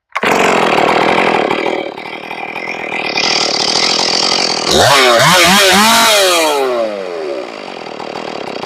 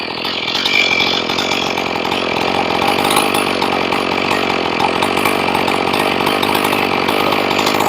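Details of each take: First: Ported Stihl 461 chainsaw after repairing a blown-out plug, final tune: fires on the first pull on restart, blips and drops back, then holds a steady, even idle burble; sounds stable and ready to go. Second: Ported Stihl 461 chainsaw, warm after a brief stop, low-speed mixture screw being adjusted from 1¼ turns out: raspy two-stroke buzz holds steady, then idle rpm climbs as the screw is turned clockwise toward target idle.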